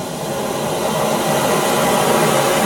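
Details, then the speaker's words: Oxy-acetylene cutting torch before cutting 3/8" steel, oxygen added to acetylene: steady, even roaring hiss with no popping or sputter from properly set neutral preheat flames. "this point, I have pretty good little neutral flames right here on the preheating flames."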